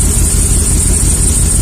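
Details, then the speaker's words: 2003 Chevy Silverado 1500 HD 5.3 V8 idling about 10 minutes on an injector-cleaner flush at ~45 psi (regulator vacuum line off, fuel pump relay removed): low uneven lope with stumbles, cylinder 4 still misfiring, its injector tested as delivering less fuel; cylinder 3 also misfiring. "It's been running for about 10 minutes. And as you can see, it's not improving at all. Cylinder number 4 continues to count misfires."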